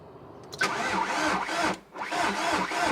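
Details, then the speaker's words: SEAT Ibiza, 135,000 miles, bought at auction, first start attempt after new ignition barrel installed: two bursts of lumpy, uneven, labouring cranking that never catches; turns over roughly, no start. "Oh, don't sound good, does it? It sounds awful. Sounds awful. I mean, it turns over."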